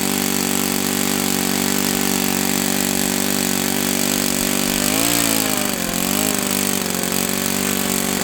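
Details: OS FS-91S II four-stroke RC model engine, first run, throttle about a quarter open for starting: steady high buzzing tone with one quick dip and rise on throttle; clean and strong.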